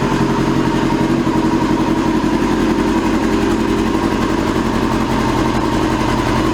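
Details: 2002 Yamaha YZF R6 carbureted four, restarted after sitting 6 years, bad rusty gas previously cleaned from the tank: loud, uneven idle with a stumbling, irregular beat, like running on three cylinders; owner suspects a gummed carburetor or fouled plug.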